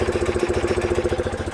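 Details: 1976 BMW R90S 900cc, carburetors with built-in accelerator pumps being synced by matching intake air pitch, a cylinder ring previously replaced: even pulsing idle about fourteen beats a second with soft airy intake hiss; normal idle.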